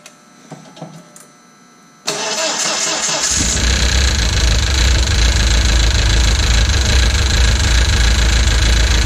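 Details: Audi A4 B6 1.8T with freshly assembled engine, first start after priming oil by cranking: after a short quiet spell the engine cranks, catches and settles into an even, steady idle with no knocking; normal start.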